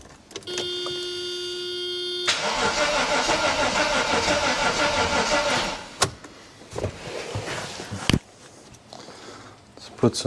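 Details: Mercedes AMG coupe, first start attempt after sitting since 2009: a pump hums, then a few seconds of rapid cranking that never catches. Owner then tries starting fluid and suspects a weak battery or immobiliser.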